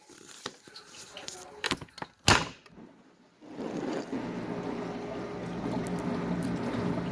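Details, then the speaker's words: Bosch Ecosense dishwasher after fix of noise problem by rearranging contents, hot wash cycle, lid closed: a few knocks then steady even swishing spray, no grinding or rattle; washes normally, problem fixed. "so the problem it looks like the problem is fixed the washing really well"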